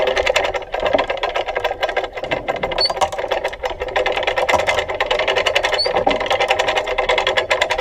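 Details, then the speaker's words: Harbor Freight pickup truck crane after fixing its pulley so it rolls, lifting a 200 lb generator: steady, light ratchet clicks with no binding or scraping; cable feeds cleanly and cranking is much easier. "know that's remarkably easier i'm using a lot less elbow grease"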